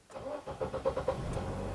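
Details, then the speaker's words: Nissan X-Trail with intermittent hard start: long extended crank of several quick, even starter pulses before the engine catches and settles; check engine and VDC/skid lights on; P0340 camshaft position sensor circuit fault. "so we'll be in that long extended crank right um the check light is on right and the vs seal skid light is on right"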